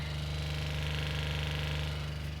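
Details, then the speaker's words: Full-time RV's fresh water pump, not connected to city water: a low, steady, even buzz-hum that holds constant while the tap runs. The pump comes on with demand as it should; normal operation. "So when I turn my water on, my water pump comes on."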